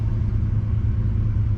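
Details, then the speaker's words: 1968 Chrysler Newport V8 warm idle at about 1000 rpm, set with timing for good starts, after cooling-system flush, thermostat reinstalled and new radiator hoses, in 95-degree heat; smooth even rumble, no knocks or misses; normal idle, though overheating persists. "so idling about a thousand that's kind of where I've got it set that with the timing gives me a good start you know if we're sitting here in line at Hot Rod Power Tour"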